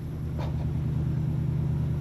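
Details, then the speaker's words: Port side engine of a 1991 52ft Hatteras cockpit motor yacht, the healthy one while the other is blown: fires up instantly with no smoke into a deep, even diesel idle, no misses or knocks; normal. "Port side engine fires up instantly. Just like the Broward, no smoke. And it sounds remarkably similar as well."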